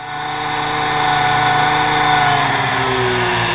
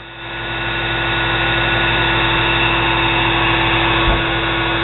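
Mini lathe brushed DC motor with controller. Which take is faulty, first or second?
first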